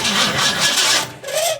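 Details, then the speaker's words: 1971 Ford Mustang Sportsroof, 351 per tags, cranked after sitting about 14 years: short bursts of quick, free-spinning starter whir, no binding or clunks, engine turns over freely; owner pleased, normal cranking. "that's good. That's what I want to hear."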